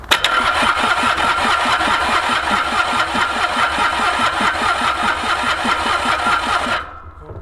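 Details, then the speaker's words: Mitsubishi K3D diesel in Ransomes Bobcat mower, unstarted 9 years, electric fuel pump on, glow plugs not used, injector lines loosened to bleed: starter turns engine steadily, two-plus compressions a second for ~7 seconds, never fires; crank no-start. "by the way I'm gonna bet this thing cranks over a lot better"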